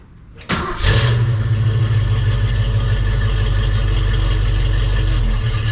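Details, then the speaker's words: 1968 Mustang 302 V8 after installing JBA tri-Y headers, X-pipe and dual exhaust: deep even V8 rumble with no pops or backfires; the earlier backfiring and popping is essentially gone and it is quieter. "Well, the backfiring and the pop is essentially gone. So that was goal number one. I mean, it sounds good, guys. It's fine. It's just not crazy loud and obnoxious, which honestly, this is the wife's car, so it's not that bad."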